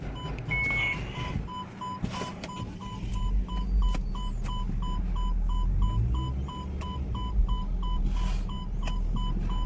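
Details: MG Hector 2021 petrol automatic, engine running with quick evenly spaced warning beeps; first and second engage but reverse won't, motor sound heard when selecting reverse; scan shows transmission codes; open circuit in transmission control module power supply.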